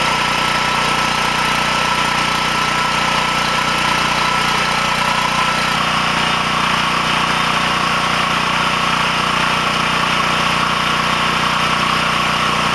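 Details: Coleman Powermate generator running after its rectifier board was repaired and refitted: an even, unbroken engine drone with steady pitch and no misses or knocks, holding a constant governed speed; running normally.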